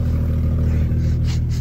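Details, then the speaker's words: 1990s Jeep Grand Cherokee ZJ 4.0 inline-six, bought unseen, idling: deep, loud steady exhaust rumble with no sharpness; exhaust leak, holes in exhaust found, exact location not confirmed. "all right hopefully you can hear me over that exhaust so we definitely got a leak there"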